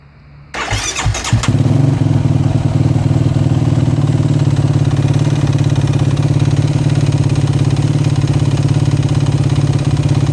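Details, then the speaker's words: Warm 2009 Yamaha YFZ450R single-cylinder ATV at quick idle: steady dull knock on every firing stroke, worse when warm and slightly noticeable when cold; owner suspects piston slap, and it still makes good power without smoke. "so yeah that's it uh still makes excellent power doesn't smoke or anything like that but it just doesn't sound like you should"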